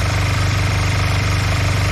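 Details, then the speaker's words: Honda CB125 twin with new cylinder barrel, reground valves and reworked carbs, idling: fast choppy lumpy exhaust pulses; cylinders unbalanced, one side hot and other not, one suspected lean and one rich. "They're not balanced, or one's running lean and the other one's running ri"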